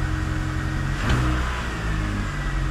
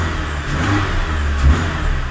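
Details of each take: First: Engine with a poor oil analysis, before compression and leak-down tests: no timing-chain clatter, but after a quick rev it stumbles slightly and wavers as it settles back to idle. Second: Engine cold-started after sitting a long time, no engine warning light: quick throttle blip rises and settles cleanly, no timing chain clatter or tapping, though slight hesitations noted; normal rev.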